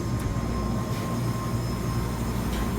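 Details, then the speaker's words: Refrigeration unit running after the original contactor was reinstalled (found to be fine). Steady low hum with an even whine, no clicking or cycling; compressor running normally. "got the original contactor put back in there's nothing wrong with it unit's running now you can hear it running"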